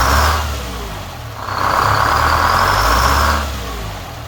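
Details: 4106 diesel after an Allison V730 transmission swap, with the return-line drip fixed and new filters fitted, moving under its own power for the first time: smooth rise and fall through two pulls with no clunks or slipping.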